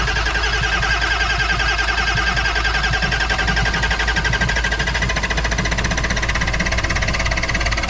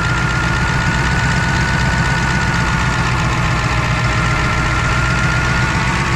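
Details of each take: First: Ford F-550 diesel cold start in a snowstorm, fired on starting fluid without glow plugs or grid heater: fast-running engine with rapid sharp steady knocking over the roar; has oil pressure, cause not identified. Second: Ford F-550 diesel just cold-started in a blizzard with starting fluid, oil pressure confirmed: deep, steady rumble holding an even idle without stumbling or hunting; runs well at idle.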